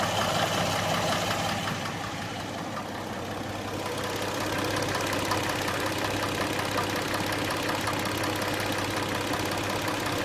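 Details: Hyundai Tucson at idle with a light, fairly regular engine tick of about three per second; the owner suspects the hydraulic lifters, but this is not confirmed.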